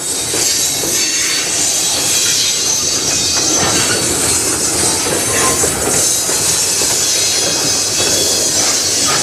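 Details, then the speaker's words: Freight train rolling past in Sarnia, Ontario: loud continuous high-pitched screech and squeal over wheel clatter, apparently from brakes left applied; cause suspected, not confirmed. "a break for on this one what that sounds like very squeaky squealy wow did they not turn off any"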